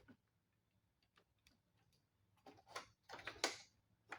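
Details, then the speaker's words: 1994 Polaris Trail Boss 250 ATV, non-running, with the battery connected and the engine off; the solenoid tested good. Faint, sharp, irregular clicks from under the plastics. Repeated electrical clicking, cause not yet found. "there's something that keeps clicking under here and I'm going to have to get the Plastics off of it to see what it is"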